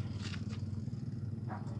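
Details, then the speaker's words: Washing machine motor that, when switched on, fails to spin and only moves briefly; low pulsing hum with no build-up of rotation, energised but stalled; capacitor suspected, otherwise a damaged motor coil, not yet confirmed. "Ini dia cuma bergerak sebentar seperti ini. Ini biasanya kalau tidak kapasitor biasanya spool motornya ada yang kena, tapi kalau ini masih bergerak sedikit kemungkinan kapasitor."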